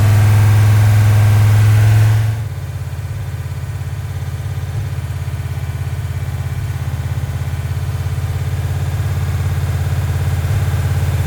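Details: Rock Auto rebuilt 1990 Mopar 318 small-block V8 from a D150 truck (honed, new parts, Comp special-grind cam, Air Gap Magnum intake), first start-up: drops from fast idle into a steady, even low burble, timing 15° initial, 33° total; no ticks or knocks, healthy idle.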